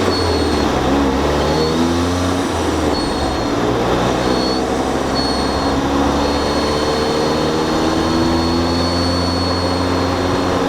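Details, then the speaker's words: Turbocharged car with a BorgWarner turbo and stock diverter valve, before the Turbosmart Kompact upgrade: a thin, high warbling whistle like a bird chirp comes and goes under the engine drone, an annoying whistle since the setup was built. "ever since I put this setup together that BorgWarner has made this whistling sound and it's like not a good sound"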